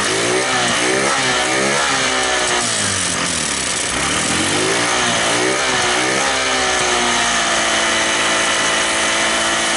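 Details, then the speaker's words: Scooter engine speed wandering up and down at idle before settling; a small spring and spacer were left out of the clutch cover and are being refitted: unstable idle. "Oke teman-teman, jadi untuk motornya nggak bisa stabil barusan. Dan sekarang kita coba pasang ini per kecil ini sama ganjalan per ini di bagian deksel teman-teman."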